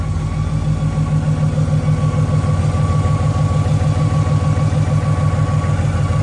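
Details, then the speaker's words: Boosted Ford Mustang Boss 302 V8, formerly naturally aspirated full bolt-on: steady idle with a thin constant high whine or whistle over the rumble; accessories checked good, source not yet found. "If you've been following me, you know I'm totally full bolt on NA. We just went boosted, and listen to this baby whine."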